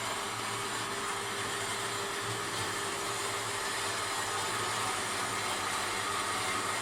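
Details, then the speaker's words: Forestwest 4.5" (115mm) metal bandsaw with 3-speed pulley motor, set horizontal on a slower speed, cutting steel: steady motor hum and even blade hiss, cutting normally. "It's now set up for steel, cutting in the horizontal position. It's a 3-speed motor, so we've dropped it to slower speed."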